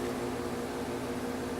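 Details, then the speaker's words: Heat pump outdoor unit after fixing fan blades that rubbed the shroud and made a machine-gun banging in heat mode: fan now has clearance, with a steady, even hum, soft constant tone and no rubbing or banging. "okay just fired the system up and it's running beautiful clearances between the fan blades of cells in the shroud nice and quiet the way it should be"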